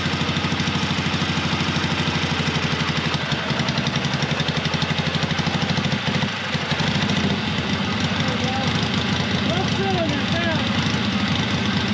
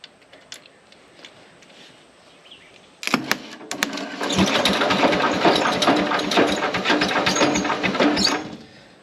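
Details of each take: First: Long-stored 1970s Onan RV twin-cylinder gas generator, running without a muffler after transmission fluid freed a stuck valve: loud, even, rapid popping from the open exhaust with no skipped beats, both cylinders firing. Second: 1970s Onan RV generator, long stored, first spin-over powered from a separate battery after rewiring: about five seconds of ragged, uneven, clattery cranking that never settles into a smooth starter whir.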